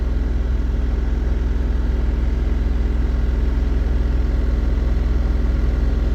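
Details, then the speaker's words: Mahindra Bolero BS6 diesel with a DEF/urea no-start-in-800 km fault, during forced DPF regeneration: steady idle held above 2000 rpm with no pedal input, which is the normal elevated regeneration idle; rpm returns to normal when it completes. "तो री generation अभी भी continue है देख सकते हैं RPM दो से ऊपर है एक्सलेटर पेंडल प देखिए खुद बुद यह आरपीएम हाई है टेस्ट रनिंग में"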